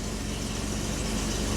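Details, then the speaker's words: 2005 Jeep Wrangler running again after a crank-no-start, left to warm up before scanning; it later showed a CKP sensor circuit code. Steady, even idle with a smooth low hum, no knocks or stumbles. Normal idle. "We'll let it run, warm up a little bit. Plug in the scanner."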